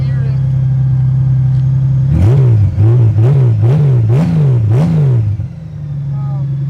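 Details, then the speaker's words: 2013 Honda Goldwing F6B, 3,716 miles: deep, throaty idle rumble swelling with quick throttle blips, louder than stock; suspected removed baffles, fix suggested is stock pipes or reinstalling baffles. "Some people might love that, some people might hate that. I'm sure it's not hard to get stock pipes for it if you really hate it, or just put baffles back in."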